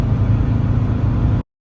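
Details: VW T4 van diesel after PP1 injector install, injector bolt extraction, fuel pipe adjustment, split vacuum hoses fixed and idle corrected; test drive smoke test: steady low drone pulling evenly, no misfire or stumble; healthy acceleration.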